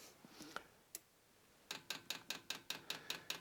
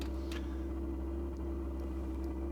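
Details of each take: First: Vevor diesel workshop heater in a garage at about 0–1 °C, dosing pump re-primed via the arrow buttons after a suspected fuel leak; crisp, even ticks about five per second, normal fuel pump priming clicks. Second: Vevor diesel workshop heater, first start cycle at about 0–1 °C: deep steady thudding drone from the burner; owner suspects it is overfed with too much diesel in the combustion chamber.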